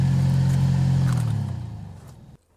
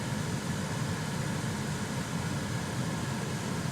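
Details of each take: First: Chevrolet Silverado HVAC blower still makes a deep, droning hum with a low rumble that winds down as the fan stops. This is after a first attempted fix; debris is suspected inside the under-dash blower motor. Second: Chevrolet Silverado HVAC blower after debris was cleaned out of the blower motor and the cabin air filter changed. A steady, even rush of cold air with a soft low rumble and no hum, so it now runs normally.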